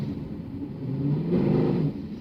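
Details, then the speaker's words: Mercedes W204 C63 AMG with a 7-speed MCT automatic after multiple rebuilds, check engine light on, going uphill at 20 km/h: the engine drones and revs climb but there is almost no power. Transmission slipping under load is suspected. "Do you guys hear that? Like I'm going 20 km an hour up a hill. We have like no power pretty much. This is not good."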